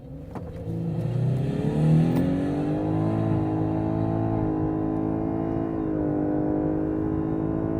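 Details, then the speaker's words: 2018 Lexus LS 500h, 3.5-litre V6 petrol hybrid with electric motor, 360 hp combined, full-throttle launch in Sports Plus mode: engine climbs, then holds a flat whiny drone with odd gear changes from the 4-speed gearbox plus CVT; normal hybrid transmission character. "Now, did you hear that? Sounded a bit odd, didn't it? A bit whiny when you rev it out, and the gear changes are bizarre, and that's because this car has a mixture of a normal gearbox and a CVT."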